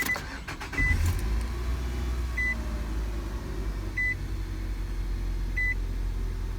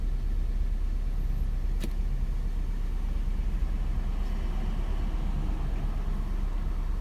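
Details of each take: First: 2005 Nissan Altima 2.5 four-cylinder, 200,000 miles, after valve cover replacement for bad tube seals causing cylinder 1 and 4 misfires (P0301): starts cleanly into a smooth even idle, dash chime beeping about every 1.5 seconds. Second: 2005 Nissan Altima 2.5 four-cylinder, 200,000 on the odometer, lumpy stumbling idle misfiring hard when revved: P0301 on cylinder 1 and cylinder 4 also misfiring, traced to bad valve cover tube seals.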